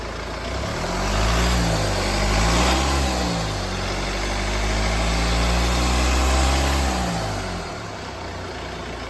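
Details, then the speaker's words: Mercedes-Benz E250 petrol engine after a repair that replaced the damaged piston, with overhaul and timing work: it idles smoothly, revs up and settles back, with no misfire and the earlier knocking gone; normal idle and rev. "Guys जो इसमें knocking की आवाज थी वो knocking की आवाज भी चली गई है"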